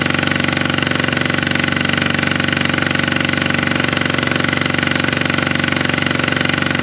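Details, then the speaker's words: Polaris RZR 900 fuel-injected twin at idle, plugs cleaned and regapped to 0.030 in: loud, lumpy, uneven chugging about three beats per second, popping back through the intake; misfire, owner suspects a valve not closing, later traced to a broken camshaft. "Well, that don't sound good. As you guys can see there, it's clearly blowing something out of the carburetor here. So I don't think one of the valves is closing all the way."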